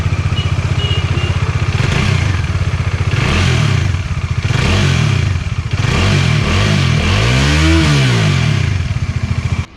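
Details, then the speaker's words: Bajaj Dominar 400 after cylinder head assembly replacement to cure tappet/shim noise: steady single-cylinder idle rising cleanly with throttle blips, no top-end ticking or clatter; previous knocking sound is gone. "ഇപ്പോൾ നിങ്ങൾ sound കേട്ടില്ലേ, ഇപ്പോൾ അടിപൊളിയായില്ലേ. പഴയ sound പറഞ്ഞാൽ ഒരു കടകട അടിക്കുന്ന sound ഉണ്ടായിരുന്നു."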